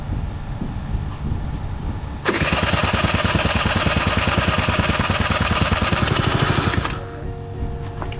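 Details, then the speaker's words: Honda Joker 50 scooter, parked a long time, after fuel pump replacement and a leaking hose: starter spins the engine in fast even pulses for about five seconds but it never catches; cranks but won't start. "เมื่อกี้ท่อรั่วนะมาสตาร์ทใหม่ดูสิครับว้าวดูมั้ยทำไมสตาร์ทไม่ติด"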